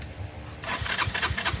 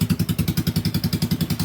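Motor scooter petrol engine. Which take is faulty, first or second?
first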